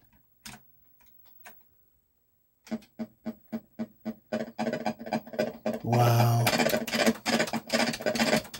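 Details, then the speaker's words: Millipede arcade PCB in test after dip-switch setup: game sounds come out as harsh buzzy clicks and raspy bursts instead of clean tones; badly distorted audio, POKEY chip suspected but unconfirmed. "That's still terrible. And we've got a bunch of stuff stuck down at the bottom. I'm going to have to look at the play field. So I don't know if that's the pokey that's doing that."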